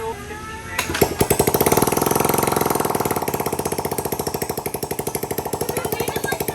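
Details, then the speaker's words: Honda Ruckus scooter, salvage title, being revived with rough carb idle tuning, idling with the exhaust removed (open header): sharp, raw, very loud unmuffled popping at a quick steady idle. "It sounds like It has no header on it. Yeah. That's open head."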